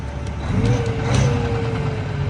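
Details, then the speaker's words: Cummins ISX diesel in a Kenworth truck, idling with the hood up: steady mid-pitched hum-whine over the rumble from a boost leak at a cracked intercooler; turbo failure also suspected. "got a boost leak boys and uh standard cooler there it is guys"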